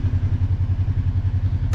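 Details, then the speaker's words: Kawasaki KRX 1000 after throttle position sensor readjustment fixed high idle: steady low thumping idle at an even beat, about twelve pulses a second, no hunting or surging; normal idle. "Now we're going to go ahead and tighten it back up. Idle is right where it should be."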